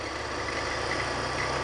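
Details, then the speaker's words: BMW E46, belt squeak diagnosis, listening at the alternator pulley; steady even whir with no squeal or chirp; alternator pulley is fine, not the noise source. "so it is not the alternator"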